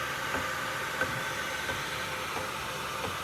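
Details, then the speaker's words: Rolls-Royce while driving: soft dull thuds about every two-thirds of a second under road hiss. A driveline thud and knock; bearings sound fine. A flex disc or CV joint is suspected, possibly from a burnout; not confirmed. "it's not a brine it's it's like a thud and knock now I do hear a not a grind but you can hear this movement in there and beware of this flex plate up first"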